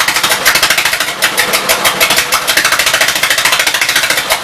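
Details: 1952 Gravely L single-cylinder on the carburetor and throttle setup from a 53 L after suspected fuel delivery problems, set to idle: pops along at roughly three beats a second, a little uneven but keeps running on its own.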